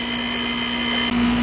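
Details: Goodman heat pump compressor after replacing potential relay with start capacitor assist: steady even hum with faint fan whir, no buzzing or clicking off; compressor starts and keeps running normally.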